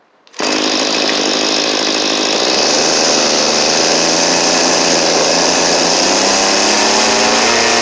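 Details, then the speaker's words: Cheap small two-stroke string trimmer after new carburetor and fuel lines: steady high revs with buzzy, slightly unsteady drone; high-speed mixture suspected too lean or too rich, adjustment screws out far, unconfirmed. "We're not getting a lot of gas coming on the high side, I think. Or maybe too much."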